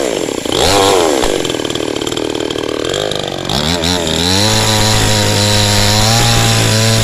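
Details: Cheap model 5200 chainsaw with small chain and bar, cutting wood: revs climb smoothly into the cut and hold a steady high pitch with no sag; no power loss, normal running under load.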